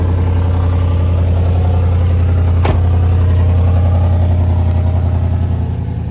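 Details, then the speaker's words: 2008 Lexus GS 460 V8 from auction, rusty underside: loud, deep, blatty drone with coarse rasp as it revs, far too loud for stock; exhaust leaking badly at rusted connections. "it's got a lot of rust so the connections on the exhaust are bad it's leaking a lot"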